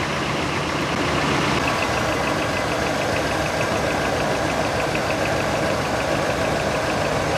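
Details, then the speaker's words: 2000 Chevy crew cab dually just started after about five years sitting: busy ticking valve train rattle over rough idle with slight misfire; lifters pumping up. "definitely got some some valve train rattle up hop see if the lifters pump themselves up"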